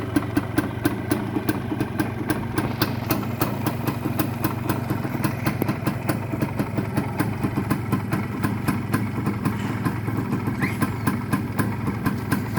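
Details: Original Suzuki TS 125 two-stroke, all-original parts, electrics working: crisp, evenly spaced popping at a steady idle with no misses or rattles, settling into a clean idle; healthy.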